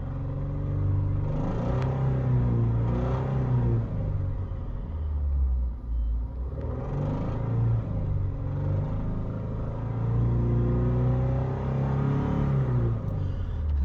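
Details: Subaru after three short block swaps, warm idle: steady low idle rumble with a rough rasping swell every few seconds that comes and goes; intermittent engine noise of unknown source, check engine light only for a small evap leak, unrelated.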